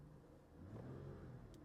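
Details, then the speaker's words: Used Dodge Challenger with 3.6 L V6 at auction, oil found on the engine: brief, smooth rev that rises and settles cleanly with no knocks or rattles; the engine sounds good and the transmission grabs reverse right away. "sounds good grabs right away reverse"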